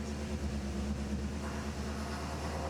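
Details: 1980 Chevrolet C3 Corvette V8, fully rebuilt after engine failure and fitted with Aces Killshot EFI, first run after the install: steady, even low rumble at idle with no knocks, misses or hunting; normal healthy idle.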